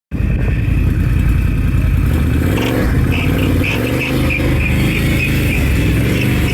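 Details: 2022 Can-Am 570 XMR ATV running: low engine rumble with an annoying high, thin squeak chirping about three times a second.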